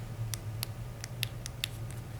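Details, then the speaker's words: Star Trac treadmill replacement Quick Start/Stop keypad tested before installation: sharp crisp clicks, about six in two seconds, over low room hum; each key press clicks cleanly, switch working normally. "same thing with a quick start make sure that when you press it you hear this click and you feel the click"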